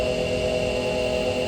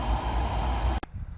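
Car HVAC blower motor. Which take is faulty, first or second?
first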